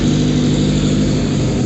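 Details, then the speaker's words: Modified riding mower, cold-blooded and needing bigger jets, with a new throttle; the engine holds a fast, steady drone without dropping to a slow tick-over. The idle is set too high. "that idol's still high so there i like that better"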